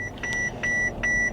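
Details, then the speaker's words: Truck at auction, after shutdown and hard restart; clear high-pitched beeps about two and a half a second over faint cabin hum; airbag SRS malfunction warnings for front left, left rear and rear left, engine then misfiring. "it doesn't like that left rear SRS malfunction front left SRS malfunction rear left SRS malfunction"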